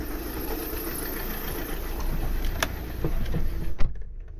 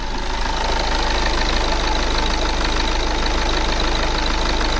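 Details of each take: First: 2009 VW Tiguan 2.0 TDI diesel at idle: uneven lumpy beat with irregular knocks, like running on three cylinders, smelly exhaust and blue-white smoke; drives fine above 1,500 rpm; misfire cause not yet confirmed. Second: 2009 VW Tiguan 2.0 TDI diesel with a misfire fault, after a sensor was unplugged and plugged back in: steady, even idle with an unbroken beat and no misses or knocks, the engine running perfectly again, a normal idle.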